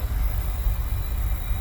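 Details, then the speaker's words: Oil boiler after a breakdown repair: the capacitor was refitted and the burner plugged back in. It fires up and gives a short, steady low rumble with no buzzing or cutting out, burner running normally; it looks clean, and emissions are to be checked with an analyzer. "she lives again I will just check it with the analyzer make sure it's burning clean but it looks clean inside"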